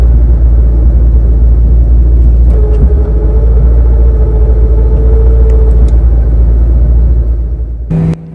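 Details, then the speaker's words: 2003-04 SVT Cobra T56 with an upgraded 26-spline input shaft and McLeod RXT clutch: heavy steady rattle in neutral that stops when the clutch is pushed in. Suspected gear runout noise between the input shaft and countershaft from shimming. "what you're going to hear is the sound sound then you'll hear me pushing the clutch and the sound will go away and then I'll let the clutch back out and it will start again and then I'll push it in and it will disappear again"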